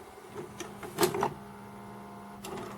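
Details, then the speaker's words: VCR tape mechanism loading from an A/V equipment haul: whirring motor with irregular clicks and a couple of sharp clunks; the mechanism is struggling and needs work. "yeah that's not happy well that's a shame"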